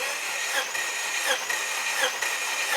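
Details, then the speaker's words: Subaru Outback XT turbo, one owner, given away broken, cranked via push button on the starter during a compression test on cylinder 3: steady even starter whir. "Is about 130-ish normal. 130-ish is above normal. Okay. I'd say so, yeah. All right, cool. Not bad for cylinder 1."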